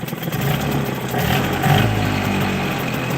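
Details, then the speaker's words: Small 6 hp two-stroke with rebuilt carburetor, fresh fuel, started on choke: buzzing at fast idle, winding up and back down; running fine, though low idle screw slightly off and trying to run dry. "Ooh, that was quick. And there you have it. It's running."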